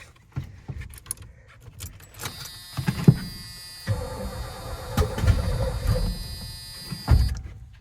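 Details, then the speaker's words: Cranking with a few brief, uneven bursts of firing that die out on an 80s Ford F250 big block after a new starter relay; runs only on starting fluid, pointing at an inherited fuel supply issue. Cause suspected, not confirmed. "Oh my goodness. It started firing up. All right. All right. So, that was just off the spray. Started firing up real nice like."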